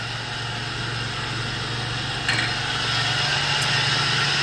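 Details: 2004 Toyota Tacoma 3.4 L V6 5VZ-FE, manual, 280,000 miles: steady idle drone with a loud harsh metallic whine on top, suspected power steering whine or worn belt-drive pulley.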